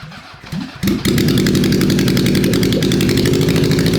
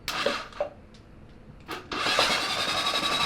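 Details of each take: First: SOHC Honda CB750 four-cylinder swapped into a 1980s Suzuki Quad Sport 230, first start after sitting for years, on choke: catches, then runs lumpy at about three beats a second with tailpipe fire and backfire. One cylinder is misfiring. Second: Honda CB750 SOHC 750cc engine swapped into an 80s Suzuki Quad Sport 230, cranked for the first time in years with fresh 10W-40 oil and lubricated cylinders: after a couple of clicks, a fast, even starter whirr with no grinding; normal healthy cranking.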